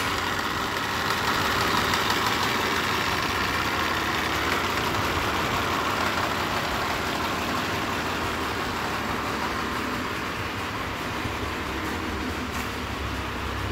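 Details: Mitsubishi Pajero 4 after engine rebuild for a knock caused by a crankshaft cracked at cylinder 2, fitted with a used crankshaft and new bearings: even, quiet idle, soft steady hum, no knocking or ticking.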